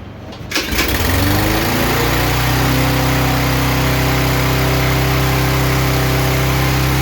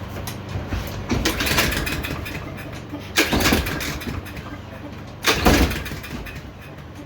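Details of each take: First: Yard Machines lawn mower after repair of a no-run condition: the pull-start catches in under a second, then settles into a steady, even drone with no surging. Running properly. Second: Yard Machines lawnmower, recoil pulls after fuelling: repeated pulls about every two seconds, each a short rasping crank dying away without catching; compression present, owner suspects valves out of adjustment.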